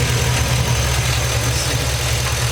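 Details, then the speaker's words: LS-swapped 1989 Chevrolet Caprice with 4.8 L from 2007 Silverado Classic, a few thousand miles after replacing one ticking lifter: even, steady idle with smooth low rumble and no top-end tick; normal valve train noise, normal idle. "sounds like normal valve train noise now like I said I put a few thousand miles on it since I uh replace that lifted and only replace one lifter"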